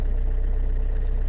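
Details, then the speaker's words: Vauxhall Insignia diesel that had no start and no fuel pressure, now with a new in-tank fuel pump and air bled out; steady, even run with a smooth low drone, no misfire, knock or surging; runs normally. "It's all running."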